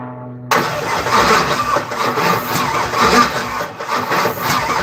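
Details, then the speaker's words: Third-gen (1982–92 F-body) Camaro, long crank-no-start: starter grinds unevenly for several seconds with no firing. Something keeps blowing off and owner suspects timing, but the cause is not pinned down; he next removes the water pump cover. "This shit keeps blowing off. That's weird. Well, maybe the timing is though."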